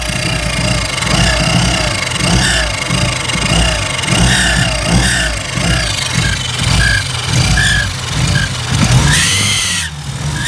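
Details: Mitsubishi Evo 6 with poor running and poor rev recovery: petrol engine revved repeatedly, a loud hissing screech sweeping down each time revs fall off throttle.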